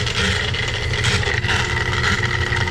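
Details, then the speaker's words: Laars Pennant commercial hydronic gas boiler circulator pump; loud steady mechanical roar with a gritty edge and faint whine while leaking water, suspected broken motor-to-pump coupling and failed seal; quiet once shut down. "all right it's the pump and they're super lucky there's a florid drain right there cuz this must have been happening all night oh yeah probably the coupling between the motor"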